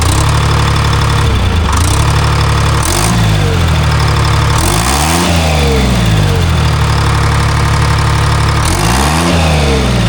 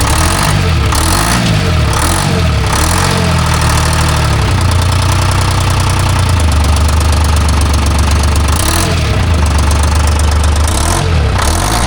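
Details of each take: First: Timberjack skidder diesel after a motor swap with a transferred governor and a replaced N50 injector: steady drone that rises cleanly through rev blips and drops back without stumbling. Normal idle and revving. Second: Timberjack skidder diesel, swapped motor with mismatched injectors and loose fan belts, falls on its face under load: runs but surges and sags in waves every second or so; fuel starvation, fuel pressure to be checked.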